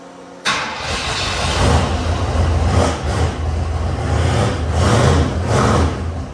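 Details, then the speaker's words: Freshly built turbo V8 in a 1971 Ford F100 NASCAR-tribute short-bed truck, cold start: quick catch then deep lumpy idle holding steady with slight swells; sounds good, a little smoky, which is attributed to being cold. "that sounds awesome holy [ __ ] that sounds good A little Smokey that's probably because it's cold definitely nothing else and I think sounds good"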